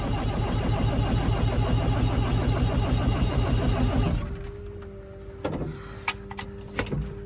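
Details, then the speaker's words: 1975 Ford Transit MK1 diesel in mildly cold weather, fuel treated, front bank of glow plugs accidentally left unplugged: steady starter chug about three beats a second with no firing stroke; cranks, won't start. "so even with whatever amount of voltage got to it she still not going to go so yeah there's that probably the longest fail Cal start on YouTube"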